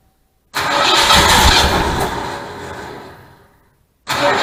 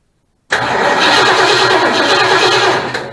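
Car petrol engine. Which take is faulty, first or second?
second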